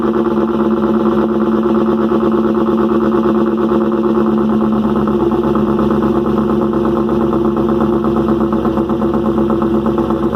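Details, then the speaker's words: First cold start of a rebuilt engine with a new lifter package and new injector O-rings, smoking and throwing oil, exhaust also loud: fast busy clatter over a steady idle hum; valve train noisier than expected, cause unconfirmed. "so so do well it cranked right up motor is a little noisy i'm not sure what that's about"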